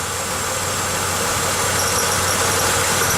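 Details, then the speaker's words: 1995 Pontiac Grand Am at idle: fast, fairly regular high squeak and rattle from a temporary wire coat hanger holding up the catalytic converter, not the alternator bearing; stops when the converter is pressed. "I put a little pressure on the catalytic converter here and all that squeaking and rattling stops and what I've determined is I had flipped this coat hanger on here a while back when I put on a new tail pipe and that stupid little coat hanger is what's doing all the squeaking and squawking up there"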